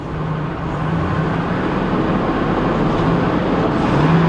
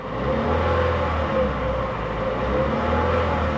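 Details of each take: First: 2012 Chevy Cruze Eco idling rough with lumpy, irregular pulses from a heavy misfire; a heavy tapping or deep knock was also heard from one side under the hood. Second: 2012 Chevy Cruze Eco given a gentle rev in gear to check the earlier tapping: the small petrol engine has quieted down and revs evenly with a steady hum, no ticking or tapping.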